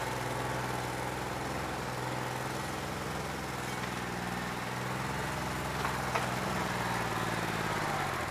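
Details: New Holland 1320 diesel tractor with a bad injector, still not loosening up when hot after 3 hours of loader work; uneven, lumpy chug of about 3 beats per second over the idle: faulty injector.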